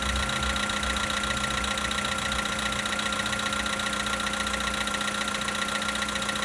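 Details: 2013 VW Polo Sedan Sochi Edition, 65,000 km, cold idle after start: a sharp, regular tapping at about 220 per minute over a steady hum; a knock from inside the engine, source unclear.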